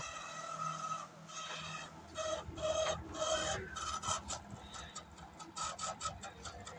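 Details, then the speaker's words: LG microwave oven running on grill for 10 minutes: faint irregular scratching rasp over the running hum, from the cooling fan motor; motor was removed for repair. "ये उसके पंखे में आवाज है इसके उसम तो इसको रिपेयर करेंगे हम"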